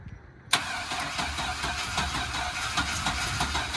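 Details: Older truck after fitting a new injector setup, fuel system primed before start: starter spins the engine in quick even pulses, about three a second, without catching; slow reluctant start, bad old fuel suspected.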